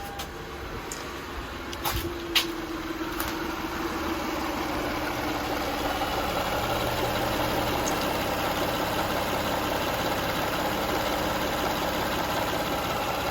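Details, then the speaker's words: 2004 Lexus RX 330, 166,000 miles, after replacing mass airflow sensor, two hoses and gasket to clear codes P1074, P1071, P2198, P2196: starter catches, then quiet, smooth, even idle with no stumble, hunting or ticking; healthy. "mean, for 166,000 miles, the engine is really, really smooth. Really nice."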